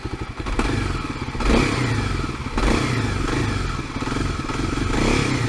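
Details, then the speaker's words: Kawasaki KLX250S at 10,000 miles, fitted with a Mark Krieger manual cam chain tensioner in place of the stock automatic one: a steady single-cylinder thump at idle with even firing and no cam chain tick. Normal idle. "She sounds pretty good. If you can hear a cam chain tick, and leave a comment."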